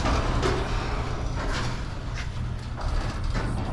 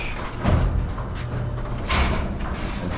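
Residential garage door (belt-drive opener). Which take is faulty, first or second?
second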